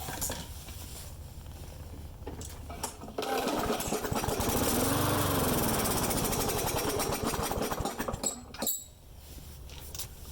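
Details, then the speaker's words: Friend's mower that starts and dies: it catches and runs rough about five seconds, then sputters out. Air filter removed for this run because it ran longer with the filter on. Suspected vacuum leak, earlier a dirty carburetor. "Yeah, so we got a vacuum leak somewhere, basically."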